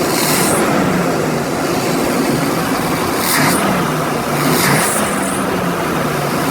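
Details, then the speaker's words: 1990 Chevy 454 V8 with TBI, owner reports it won't idle from cold and fails smog (high hydrocarbons): steady idle and smooth quick revs, sounding healthy; original belts slipping. "Let me start it so that you can hear what it sounds like. Seriously, she really runs good."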